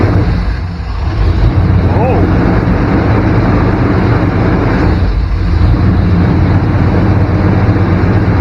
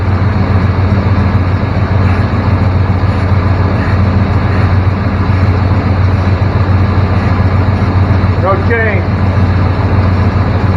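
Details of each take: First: 1994 Chevrolet K1500 Blazer idling at about 1500 rpm: steady fast idle that drops briefly when probed, well above normal speed; significant vacuum leak somewhere, air cleaner to be removed to look. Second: 1994 Chevrolet K1500 Blazer after repairs for a 1500 rpm high idle: steady, even low rumble at about 1000–1100 rpm with no misses, surges or hiss, idling smoothly at correct speed.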